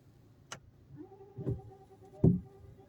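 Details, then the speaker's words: Car windscreen washer pump run from the stalk; faint steady mid-pitched hum for about two seconds among clicks, pump running dry as the reservoir has almost no fluid left. "entend le petit bruit, il n'y a plus de liquide."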